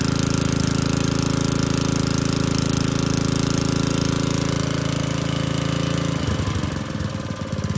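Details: Old Tecumseh four-stroke edger engine, after opening the carburetor adjustment about two turns, pops along steadily and evenly, beat loosening slightly near the end; normal running after carburetor adjustment.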